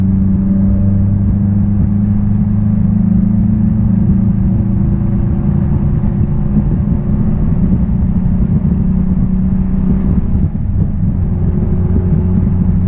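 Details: 1966 Triumph Spitfire, rebuilt 1147cc engine, driving after fuel system stripped and lines flushed: deep steady drone, even low rumble holding firm under load, no misfire or stumble; normal running under load.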